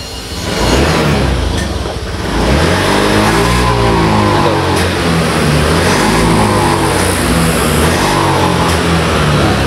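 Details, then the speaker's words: Honda Vario FI scooter with heavy pull that feels held back: revs climb sluggishly, then suddenly drop while the throttle is held open, audible at the exhaust. Loss of power from a faulty throttle position sensor. "ya jadi motornya tidak sesuai dengan eh grip gas ya atau tuas gas disaat kita gas ya sekarang teman-teman perhatikan di suara knalpot nya ya sini maka suaranya itu akan disaat RPM naik tiba-tiba Dia turun ya"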